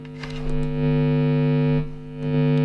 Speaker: I got this power supply that came with it and I thought well I'll check to see how noisy the actual power supply is pretty noisy